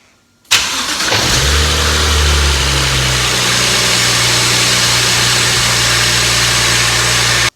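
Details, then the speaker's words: BMW E36 with N54 swap, baseline start before connecting X20 harness, key on and external start button: short crank catches at once into steady even idle, no stumble or knock. Normal start and idle. "Now that we got the baseline start, let's just hook up the harness, plug and play, power ground, and all the other connections, and let's just see if it starts."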